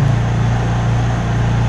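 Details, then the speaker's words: Honda EU3000is inverter generator idling in eco mode with the mic right next to it: steady, even low hum with no surging, knocks or misses; normal idle. "and as you can see we're right next to it this is pretty much how it runs the whole time we're up at the cabin just burn away like that"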